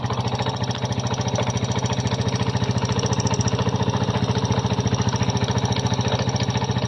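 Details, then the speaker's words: Kymco Visar 110 scooter engine after fitting a new crankshaft assembly with a new connecting rod: steady, even thump at about 3.5 firings per second with no knock; the earlier connecting-rod knock is gone. "Nawala na ang tunog ng kanyang makina."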